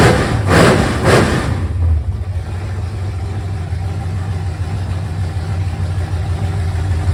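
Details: 1971 Mercury Comet V8 on open headers at its first start after the engine was reinstalled with a new water pump: a couple of throttle blips, then a smooth, even, low idle with no knocks or ticks and about 60 psi oil pressure.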